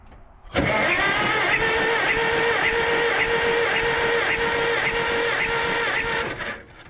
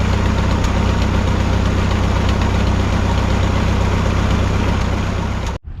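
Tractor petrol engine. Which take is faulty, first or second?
second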